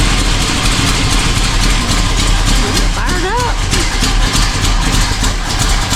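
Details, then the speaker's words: Chevy K10 truck, fresh build with new cam not yet broken in, at idle: rough-edged idle with fast, sharp puffing tick over the exhaust; exhaust leak at brand-new header gaskets. "Why do we have a exhaust leak? That is a brand new brand new mono header gaskets and another tight go tighten them up himself."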